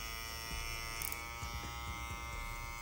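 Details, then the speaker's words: Hair clipper running normally after cutting heavy bulk had made it switch to a louder sound: even, steady buzz with constant pitch, no rattle or clatter. "Then, after a little bit, it goes back to normal sounding like this."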